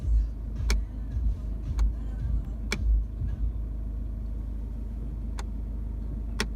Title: Clicking noise gear selector